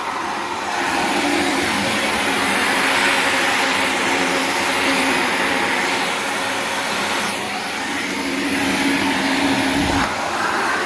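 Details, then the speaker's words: Shark NV355 upright vacuum about three years old, in converted lift-away mode: steady, strong rushing airflow with an even motor note, no rattles or surging. Normal suction airflow. "like a lot of flow"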